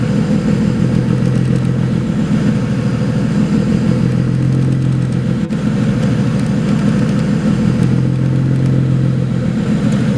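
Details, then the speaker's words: 2008 BMW 135i, single-turbo 752 whp build, at idle after a clutch replacement: a low drone that swells and sags every few seconds, a hunting idle. Throttle valve potentiometer codes are stored; cause suspected, not confirmed. "the bad news is that the 135 is not running good I'm not sure really what's going on after I replace the clutch it started acting up"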